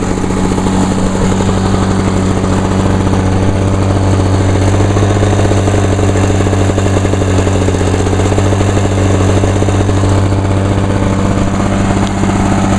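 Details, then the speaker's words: 1986 Lawnboy 8461 commercial mower, 21-inch cast aluminum deck, on choke, after fuel valve was turned on (had been forgotten off): fast even two-stroke popping, steady, no misses or surging; running normally. "Alright, let's try again. Oh, she fired."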